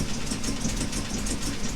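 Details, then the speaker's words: Jaguar Mk2 (budget build), first start in years with automatic enrichment device removed: even, steady idle with a smooth low beat, no knocks or misses; normal idle. "Okay, let's see if she'll pop. Okay, she's a runner. I hope that keeps the Mark II guys happy."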